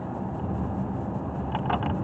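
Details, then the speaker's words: 2017 Nissan Rogue on a road test after new front brakes and a front rotor plus new rear brakes: a soft, even road rumble with no grinding, scraping or pulsing, unlike the earlier driver's side front rotor grinding; the brakes sound normal. "But so far, it's pretty smooth pedal. I don't hear the grinding that I did when I first brought it in, which was that driver's side front rotor."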